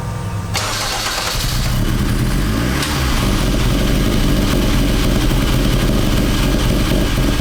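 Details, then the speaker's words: Honda CRX with K24 engine swap, which won't rev past 2,000 rpm; camera 10–15 ft back at first start: engine catches and settles to idle with a loud, distinct metallic tick or knock right at startup, inconsistent in loudness; cause not yet known. "so it was a pretty distinct like knocking or tapping noise I'm sure you guys can hear it okay and keep in mind the camera was like 15 ft back and you can still hear it"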